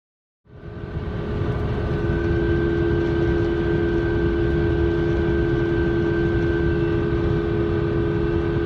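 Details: 2005 Ford F-150 rear differential (9.75" ring gear, 3.73 ratio) while cruising: steady high whine holding one pitch over road rumble; worn differential that needed a rebuild.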